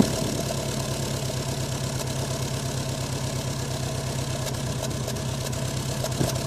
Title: Subaru rough idle on cold start